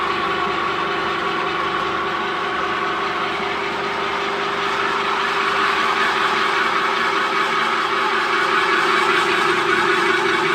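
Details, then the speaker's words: New 3-meter screw conveyor on its factory test run after fitting the motor and reducer: steady, even mid-pitch drone with constant whirring, no knocks or grinding; normal running. "After installing the motor and reducer, turn on the power. Test run the single 3-meter screw conveyor."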